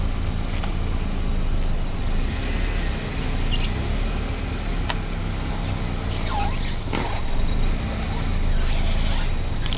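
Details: Car tyres rubbing a kerb: low vehicle rumble with short, wavering rubbery squeaks as the tyre scrubs along the kerb.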